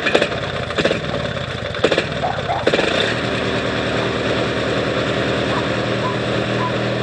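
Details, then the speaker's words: New Noma 18 HP tractor bump-started by jumping the solenoid with pliers after charging the battery: a few heavy starter chugs, then it catches and settles into a steady even idle; it runs. "so oh yep she's a runner"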